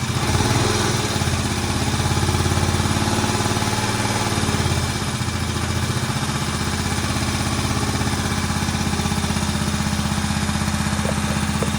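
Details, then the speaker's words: Barn-find Moto Guzzi single after head work, first run since the mid-80s: thump of about four beats a second, slightly uneven but it keeps running, a bit smoky; basically healthy, needs some adjustment. "He lives. And I'll tell you what, that engine doesn't sound too bad. Smoky a bit, it's understandable."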